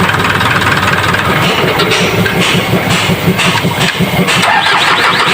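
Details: Isuzu 4HL1 diesel after replacing dirty part and cleaning crank sensor: cranks briefly, catches cleanly and settles into steady, even clatter without misses or hunting; hard starting fixed, normal start and idle.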